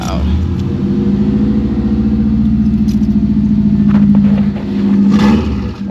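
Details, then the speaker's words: Saab 9-2X (WRX-based) started for the last time before teardown, exhaust removed; raw, blatty note with low throbbing drone swelling on light revs — loud because no exhaust fitted. "And sorry neighbors, this is going to be pretty loud cuz the exhaust is gone. I'm actually interested to hear what this sounds like."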